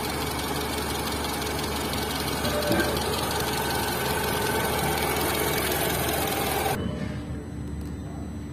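Steady idle with a quick regular ticking, about three and a half per second, riding over the engine; points to camshaft noise in the head.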